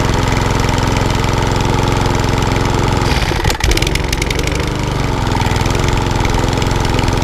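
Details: Small single-cylinder lawnmower that hunted and surged from bad fuel, after carb clean, flooding carb and reseating loose plug: pops into life and settles into an even, steady beat with no hunting or surging; fixed.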